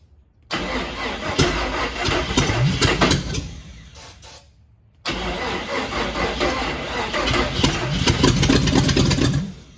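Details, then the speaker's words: Cab-over van conversion, carburetor opened up and weak battery: even cranking in two long bursts, engine turns over but won't fire; the mechanical fuel pump isn't pumping fuel, and the owner suspects a clogged filter. Cranks, no start. "not pumping any fuel if there's a filter in there that thing could be clogged up"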